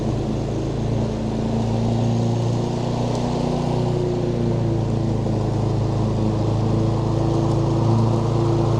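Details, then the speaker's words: Roadside-found John Deere JS40 mower after carburetor refit, new fuel line and filter: steady, even single-cylinder drone with no surging, misfires or knocking; runs healthy. "yeah so the John Deere's a runner the js40 picked off the side of the road"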